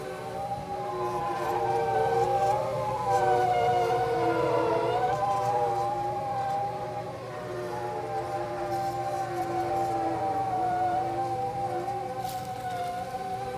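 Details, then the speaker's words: Rheem gas pool heater, working normally, gives an eerie wavering howl that drifts in pitch. A technician earlier suspected low gas line pressure; the owner doubts it. Howling hum while running. "I have a Rheem pool heater and it is making some strange eerie humming noises that I've never heard before"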